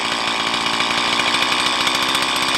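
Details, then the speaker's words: Stihl MS170 chainsaw with 16-inch bar, upgraded with Farmertec parts, idle about 3,500 rpm while adjusting low-speed mixture screw: high buzzing idle rises then revs sag as screw turned in; idle mixture too lean. "higher, and then it drops off. Then I go back, high, drop off, and we'll go a little leaner than that."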